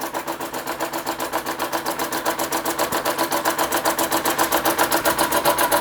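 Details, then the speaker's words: Restored Empco B-43 model steam engine finally running under its own steam after full restoration: crisp, even chuffs at about 220 a minute, quickening slightly as it settles; running sweetly. "so the MCO v-43 finally running after all this time"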